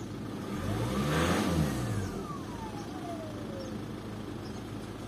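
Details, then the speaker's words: VW 2.0 TDI BKP 140hp diesel, warmed up after a neighborhood drive, after turbo geometry cleaning: faint high whistle sweeps down as revs fall after a blip, quiet and drivable, but worn turbo ringing; new turbo needed. "very slow you can't really hear it it's perfectly drivable I drove it around the neighborhood feels okay but I think it's a good time to look for a new Turbo"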